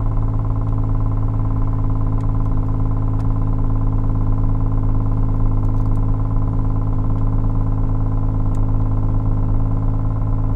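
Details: Toyota MR2 with 1MZ engine: steady cold-start idle with light, uneven ticking over a smooth drone, heard only when cold and gone once warmed up; owner suspects the oil filter, source unconfirmed.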